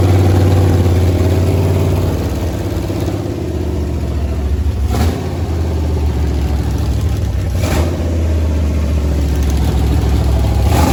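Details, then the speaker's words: Freshly built Chrysler 400 V8 for a 1972 Roadrunner, started on an engine run stand: deep, steady idle with an even beat, no knocking or tapping, smooth; starter still not quite right. "Uh starter sounds like it's still not quite 100% right, but uh it sounded great. There was zero kinks and dings and bangs. I mean, 100% smooth."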